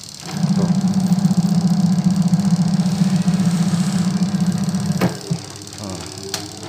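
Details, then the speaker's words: Sharp single-tub automatic washing machine being converted to manual timer control, after rewiring so pulsator and tub turn: smooth, constant motor hum about five seconds, then winds down cleanly; spin for drying works normally. "ya ya nah ini udah bener ya Tuh jadi untuk mengering sama aku soalnya mau semuanya"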